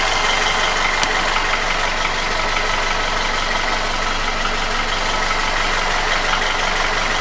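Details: Nissan QG16DE without hydraulic lifters, piston and oil-scraper rings, chain and guide replaced 2,000 km ago: busy idle with an even tapping about three per second; knock began 1,500 km ago, survived an oil change, fades with revs, seemingly between cylinders 1–2 at the front of the block.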